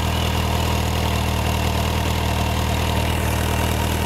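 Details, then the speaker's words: 2003 Yamaha FJR1300 idling with new Quill T3 carbon fibre/stainless exhaust cans and link pipes, baffles in: deep, even idle with steady low thump, no ticking or puffing; no exhaust leaks, normal idle. "you can't really get much of a sense on the microphone on this camera but uh it sounds pretty reasonable no blown"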